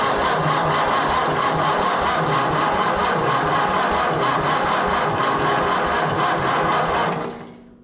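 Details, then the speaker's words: Massey Harris 30 tractor, first start attempt on ether: loud ragged uneven firing that dies off; ignition timing wrong, with number 1 off (rotation assumed clockwise, actually counterclockwise). "Yeah, we might have to check the timing. No, not the time. Or which one's one."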